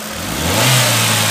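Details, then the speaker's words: Chevrolet Prisma 1.4 flex 2008/2009: a short rev climbs smoothly from idle without stumble or popping; exhaust waveform more uniform with some irregularity left, but the quick-throttle misfire is gone. "está mais uniforme tem umas falhas ainda mais aquele que ela fala rápida sumiu"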